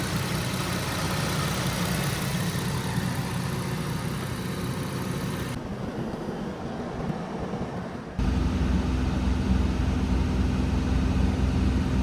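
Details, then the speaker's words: Infiniti G35 (VQ35DE) with headers and straight pipe, warm idle, heat and fans on: sound abruptly dips about two seconds then returns fuller; odd brief noise, owner suspects paper sucked into a vent or fan. "what the hell was that noise I I don't know what that noise was there's nothing wrong it sounded like a piece of paper got like sucked into the air vent or into the fan or something"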